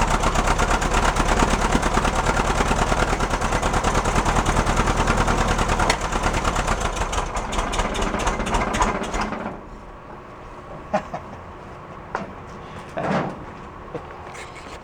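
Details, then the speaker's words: 1969 VW Fastback air-cooled engine, sat 19 years (last inspected 1998): fires and runs roughly about nine seconds on poured fuel, then dies and spits; no fuel flowing from the fuel injection line when the key is cycled. "let's go at it again all right you can put your gas in it you can get it running off the bottle"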